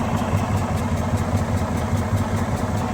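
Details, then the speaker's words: 2017 Freightliner Cascadia with DD15 diesel, 800,000 miles, idling with a slow uneven pulse about once a second, a puffing train-like beat over the rumble; suspected valves out of adjustment. "Sounds like a train or air or a pulse that's kind of going out, and I think that's going to be what I'm suspecting here, and that's going to be valves that are out of adjustment."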